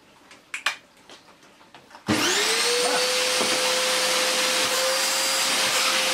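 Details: Electrolux Filtaire 1600 W vacuum cleaner, dirty unknown-fault machine, first power-on test before stripdown: handling clicks, then motor spins up within a second to a steady, even whine with no rattle; motor healthy.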